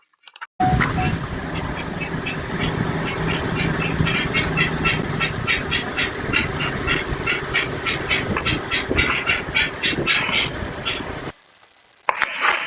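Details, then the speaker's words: Car with about 62,000 miles that has sat a while, engine visibly shaking at idle: uneven, stumbling beat with loose irregular ticking; a definite misfire is suspected but unconfirmed. "so yeah there's a definite misfire judging by that engine shake"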